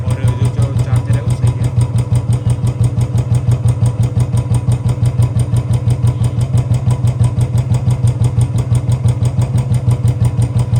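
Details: Royal Enfield Bullet Standard 350 BS4, 2018, with a battery-drain no-start complaint, idling while the charging coupler and rectifier are tested and found fine. Even, deep single-cylinder thump with no misses or knocks; settled, healthy idle.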